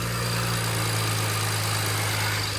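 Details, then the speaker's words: BMW N54 idling after a new flange was fitted and bled: a steady, even petrol idle with a light, fast tick from the extremely noisy injectors; the earlier noise is gone. "Just the extremely noisy injectors."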